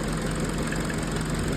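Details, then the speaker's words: 2011 Peugeot 207, previously stalling, misfiring and idling rough: now a steady, even idle at 90 °C operating temperature with no stumble or misfire after the ECU relearned and the fan ran; normal idle. "So normal ang idle. Ayan. Okay na yung kanyang idle tsaka yung temperature."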